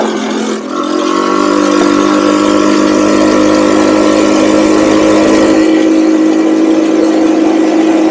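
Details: Cheap buggy's small engine, hot, riding after fitting a 120 jet; revs with a steady climbing pitch, no stumbling; normal running with rare hesitation, owner thinks it comes from the pilot jet.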